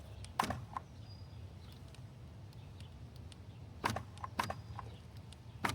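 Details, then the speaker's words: 2013 Volvo XC60 rear driver door with intermittent lock/unlock, aftermarket door latch module plugged in for testing: short sharp buzzing clicks in separate bursts; latch actuator locks and unlocks cleanly, new part fixes the issue. "Yes, I can hear it actually working. So, that uh that does it. This is actually going to work. This part does fix the uh fix the issue."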